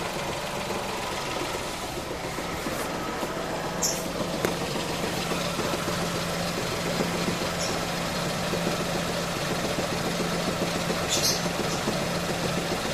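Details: 2017 Ford Ka at idle: steady hum with faint irregular tapping and a few sharp ticks on top. Abnormal engine noise, source unclear.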